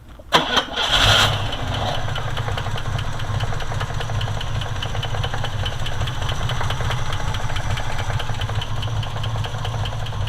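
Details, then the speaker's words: 1970 Jeep Jeepster Commando with original Buick-made Dauntless V6, hood open. Short crank, V6 fires cleanly and holds steady, even idle with regular beat, no knocking: normal start and idle. "So Brendan, go ahead and get in there and you can start it up. It's the original Dauntless V6 made by Buick."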